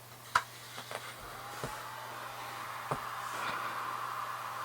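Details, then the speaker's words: HobbyMate D6 Lite dual charger's external power supply: a faint, steady airy fan whir that runs constantly. Not super loud, but noticeably noisier than the charger's own fan. "it's not you know super noisy but it's a fan noise that you can hear all the time and it's significantly noisier than if we were just using this guy"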